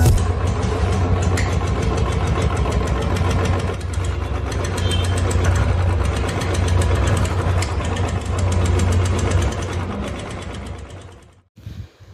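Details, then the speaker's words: Royal Enfield single at idle: fast, light "tik tik" ticking rides steadily over the thumping; owner says it is not from the hydraulic tappets or low-speed auto-decompression. "ഈ ബൈക്കിൽ നിന്ന് വന്ന സൗണ്ട് നിങ്ങൾ ശ്രദ്ധിച്ചു കാണുമെന്ന് കരുതുന്നു. ഇതിൽ ടിക് ടിക് എന്നുള്ള ഒരു നോയ്സ് വരുന്നുണ്ട്."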